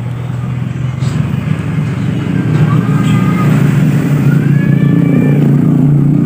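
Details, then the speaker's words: Yamaha Byson motorcycle, starter relay bypassed by jumping the two big cables: low, labored starter whir that turns heavily and slowly, never building speed; owner suspects a weak battery or a faulty starter motor coil. "Berat ya, suara dinamo muter tapi berat. Suara dinamo muter tapi berat."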